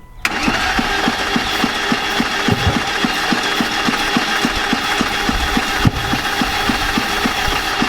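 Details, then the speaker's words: BMW E30 cranked with the gas held wide open and starter fluid, which caught fire: steady rapid cranking with uneven compression beats and no catch. The owner suspects two damaged cylinders with a bad valve; cranking, no start. "hold the gas wide open okay on fire all right i think we're done with that no more starters"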